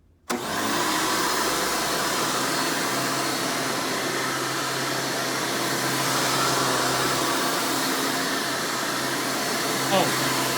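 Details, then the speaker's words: 1996 Hoover Spirit (Elite) U5067-930 self-propelled upright vacuum: a loud, steady high-pitched motor scream, even from switch-on, with no surging or rattles. Normal running. "and now we'll go ahead and turn this thing on and demo it for you and you can hear this and all its screaming overly loud hoover glory"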